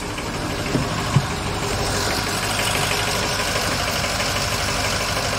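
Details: 2006 Ford E-450 Super Duty 6.0 V8 diesel after new starter replaced a burned-out one: even steady diesel clatter at idle, smooth rhythm, no misses or knocks; normal idle.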